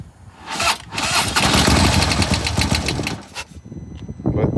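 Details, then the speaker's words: 2015 Harley-Davidson Police Road King, 1690cc 103 high-output six-speed, collision damaged and sitting about two years, started on carb cleaner after sluggish cranking: twin settles into an even, loping idle, no knocks or rattles; normal idle. "engine sounds good. At least it starts."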